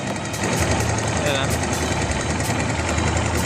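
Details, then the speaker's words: Barako 2 motorcycle single-cylinder idle: light, irregular metallic ticking rattle that fades when revved; worn cam chain tensioner, to be replaced. "So yung tunog na yan, tensioner no? Magpapalit tayo ng tensioner no."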